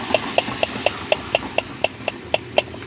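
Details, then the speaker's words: Mitsubishi Montero, about 2000 and 25 years old, AC blower motor removed from the vehicle: light, tinny clicks about twice a second from worn shaft bushings with too much play. Replacement is ideal, otherwise the motor will be sent for repair. "juego que tiene el motor los bujes por eso mismo hace ruido lo lo ideal es reemplazarlo"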